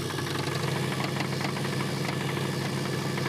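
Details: Neglected wagon with crankcase cleaner added to free suspected stuck lifters: loud, rough idle with an uneven knock about three beats a second over the engine, smog pump also noted; engine knock, cause suspected, not confirmed.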